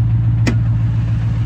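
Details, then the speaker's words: Roush Mustang, 4.6 V8, 124,000 miles, started at auction: a deep V8 idle with a lumpy, uneven beat and occasional stumbles, a misfire suspected on one cylinder. "It's a little early. I haven't had my coffee yet. This thing's for sure got a misfire."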